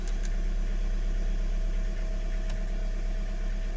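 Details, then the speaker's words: Audi A3 with engine light on, started in garage: fast idle with steady low drone and regular uneven stumble about four times a second; misfire at cold start, RPM high then stabilizes, mechanic suspects one injector needs replacing. "so the RPM is highest and the fun will start come on in a minute and then it stabilizes you know but I think one injector needs to be replaced"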